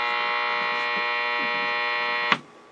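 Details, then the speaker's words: Late-1940s RCA 8R71 AM/FM radio tuned between AM stations with volume up: steady rough buzz with many overtones, cutting off sharply; interference from nearby LED lighting. "oh yeah that's why you don't use LED lighting around with the trade is now try tuning around the dial should sound a little bit better"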